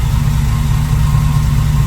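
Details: International Scout with a newly installed GM Performance 430 hp LS3 V8 and 6L80 transmission, idling on first fire-up after oil priming while leaks are chased. Steady, even low rumble with a smooth regular beat and no knocks or misses; idling cleanly and healthily.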